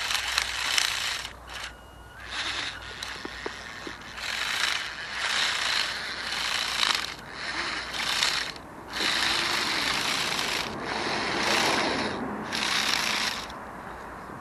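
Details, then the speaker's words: Spiderbot RC robot on a brushed motor (20A ESC), driven off-road in the woods: fast, uneven ratcheting clicks as a stripped gear skips teeth; the other, original side's gear broke, not the thinner replacement just fitted. "yeah I think that's it I think we've already killed that new gear oh dear it was never designed to do this sort of off-road stuff"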